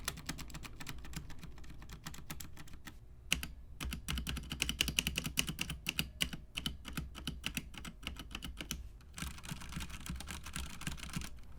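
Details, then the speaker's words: Budget mechanical keyboard, unmodded, that had been double typing: fast clacky typing with a hollow, rattly, plasticky tone and faint metallic spring ping after keystrokes, before cork-liner dampening and lubing of switches and stabilizers. "mostly all of the keys have some type of rattle and a plasticky sound and if you listen closely and turn it up and go back you can hear a pinging sound of the springs pinging in the board"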